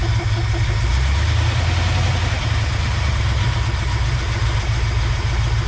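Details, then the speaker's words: 1969 Ford F-250 V8, sat since 2001 with engine previously stuck, first run: deep lumpy idle with occasional stumble, shaking like it's missing; owner suspects possible bent pushrod from a stuck valve. "possible could have a bent push rod if one of the valves was stuck [Music] it's shaking a little bit like it's missing"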